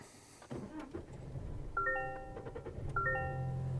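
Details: Toyota Tacoma with newly installed 41.22 wireless starter kill switch replacing the factory relay, switch turned on, foot on brake: dash chimes over a short crank, then engine catches and settles into a low, steady idle; normal start.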